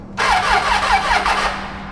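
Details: Triumph Tiger 800 motorcycle cranks weakly at about five pulses per second for just over a second, then dies off without catching. Owner suspects the starter motor rather than the recently replaced battery; not confirmed.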